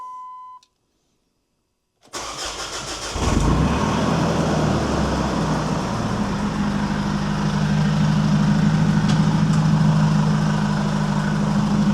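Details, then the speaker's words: Jeep Liberty CRD 2.8L turbo diesel, over 351,000 miles, first start after fuel filter replacement: cranks, fires straight away and holds a steady, even diesel idle clatter with no misfire or stumble, a normal healthy start. "Now this is gonna fire up right away. It'll run. And then we just wanna make sure it stays running."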